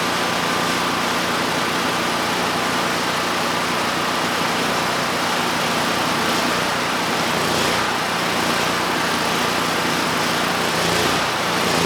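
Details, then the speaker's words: Neglected, low-compression Generac GP5500 generator after correcting gasket order between engine, insulator and carburetor: slow hunting rise and fall about once a second, lean surge, improved but needs partial choke. "So this time still not perfect but much much better. You know, before I couldn't get rid of the surge even with the choke fully applied."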